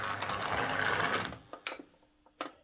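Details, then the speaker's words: Model locomotive on a Hornby HM2000 controller, slow pull-away: harsh gritty buzz and grinding from the motor caused by PWM, then a few clicks on stopping; running is quieter on a Morley Vector controller. "let's try and do a slow pull away hear that buzz and that's that grinding noise"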